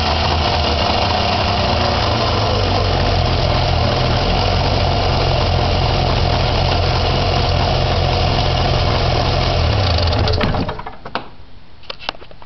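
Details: Arctic Cat Puma snowmobile after exhaust leak repair and exhaust system reassembly, started on choke: steady, even two-stroke idle for about ten seconds with no puffing or spitting, then shuts off; running normally.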